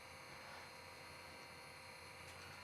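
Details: Older Babe's E-Spinner electric spinning wheel (Irish/flyer tension), after speed adjustment and oiling: smooth, even electric hum with steady high whirr, no roughness or catching, running at modest speed — normal motor running.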